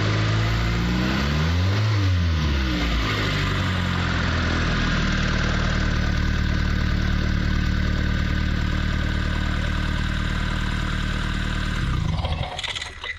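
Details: Mitsubishi Lancer CE after resealing the spark plug tube seals and plugging in both ignition coils, which were the cause of the earlier poor running: engine blips up and falls back, then holds a steady, even idle with no stumble, now running cleanly on all cylinders.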